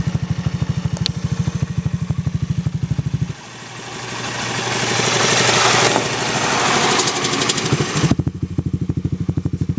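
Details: Zoomer-X engine at idle: sharp, even ticking about three per second, still there after a blip; excessive valve clearance needing tappet adjustment.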